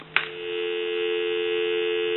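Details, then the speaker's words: Thomas Collectors Edition Country 1927-style telephone; after a click, a clean, steady two-note dial tone with no crackle or dropouts. It rings in, dials out, and transmits and receives normally. "so we know that this telephone has dial tone it's ringing in on a ring cycle it's also dialing out we have transmit and receive"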